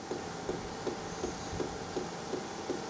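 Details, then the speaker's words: HCALORY Toolbox diesel air heater for an F-350 camper, first start after filling with diesel: steady light ticks about three per second over faint fan hum, speeding up; dosing pump priming normally. "So I can hear the pump going right now. I don't know if you guys can hear it. Oh, getting quicker."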